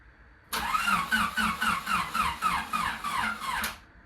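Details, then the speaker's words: 2000 Honda Civic Si (EJ8 D-series) with knocking, blown engine, sat two weeks at -15°C; starter drags slowly at about four laboured pulses a second without firing; owner suspects dead battery. "Is the battery dead? Bro. This car, I just want to say this. This car sat in like minus 15 degrees Celsius weather for like 2 weeks."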